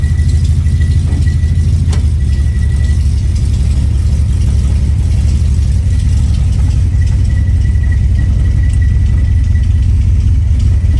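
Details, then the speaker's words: 1970 Dodge Challenger V8 on a neighborhood drive after carburetor adjustment and tune, new spark plugs and a triple-checked firing order, low on fuel. Deep even burble while cruising slowly, no stumble or missing beat; running normally. "She's running fine right now. I'm going to do another circle over here."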